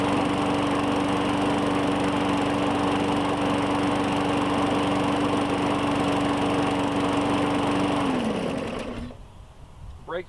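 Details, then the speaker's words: 2017 Murray 21" mower with Briggs & Stratton 450E (plastic carburetor), restarted after dirty carb and inlet cleaning and a wash, air filter possibly wet: steady even high hum, then quick clean shutoff, no smoke; runs healthy. "good so it stops up real quick don't see any smoke so we are golden so fantastic"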